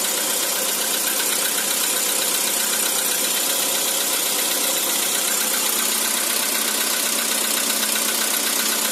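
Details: Cold-start knock on 2013 Skoda Roomster with CFNA engine; bright rattling idle with fast, fairly even tapping over the engine note; origin unknown.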